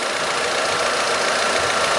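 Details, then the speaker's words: 2010 Ford Fiesta 1.0, parked and idling after thermostat housing replacement: the electric radiator cooling fan kicks in with a steady, even whoosh and no rattles or grinding; normal fan operation. "tô conferindo só a questão da ventuinha estacionando ventuinha tudo bonitinho mas tá bacana"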